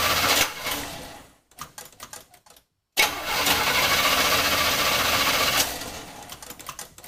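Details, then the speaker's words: Old Chevy cranked by JFEGWO 8250 jump starter at 72% charge: fast, even starter whirr spinning the engine briskly with no firing; cranks but won't start, owner suspects no gas in it. "it is trying to kick this over let's see what happens and hey maybe it'll actually start it's cranking it really fast"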